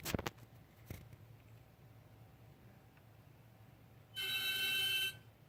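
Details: 2013 BMW 535i M-Sport, 26,400 miles, parked with engine off 20–30 minutes: one-second hissing whistle with several high tones from the engine area; failed AC compressor, noise gone after replacement.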